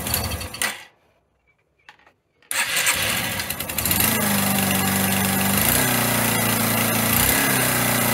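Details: Single-cylinder motorcycle engine running after a rebuild with missing tensioners and snapped head bolts, exhaust valve clearances set, oil circulating: catches after a quiet pause and settles into a steady, even beat with no knocks.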